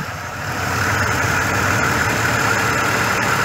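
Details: 2005 GMC Envoy 4.2 inline-six after servicing the starter motor: engine picks up then holds a smooth, even idle with steady hum and no stumble.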